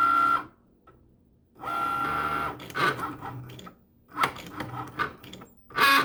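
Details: Cricut Maker not cutting or writing properly, carriage way off centre, calibration sensor error, stopped cutting at 63%: sharp irregular loud clicks between short motor whirs as the carriage moves, cause unknown; clicking during cutting.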